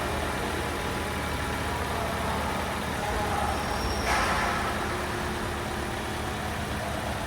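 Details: Toyota Camry with a 2AR-FE engine, diagnosed with front-of-engine noise from a faulty water pump that was replaced: a soft, even idle with a low steady hum and no whine, rattle or ticking from the front.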